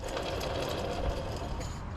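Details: Alternator removed during a hunt for a squeal that began after a water pump change: spun by hand, it gives a rough, gritty grinding rattle and sounds horrible. The bearing is worn and there is black residue around it.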